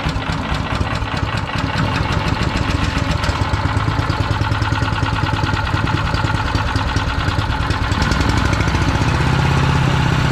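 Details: PowerMate 212cc single-cylinder wood chipper engine, recently broken with something wrapped inside: steady even thump picking up slightly near the end; sounds healthy, though owner checks for an earlier noise.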